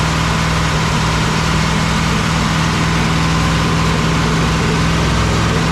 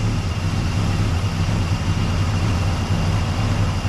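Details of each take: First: 1961 Cadillac V8 idling after carburetor adjustment: loud, lumpy idle with a steady droning tone that fades partway. Owner hears an unidentified noise and thinks it sounds like it's missing; rough idle, cause unclear. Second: 1961 Cadillac V8 idling at about 590 rpm (manual calls for about 450) after fixing mistakes and dialing in the carb: deep, steady, even rumble with no knocks or misses, a healthy idle.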